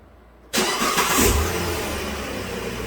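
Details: 2010 Dodge Journey 3.5 V6 after fuel injector replacement for misfire and P0206, codes cleared and adaptive memory/fuel trims reset: fires at once, flares briefly, then settles into smooth, even idle with no miss, quickly entering closed loop; normal.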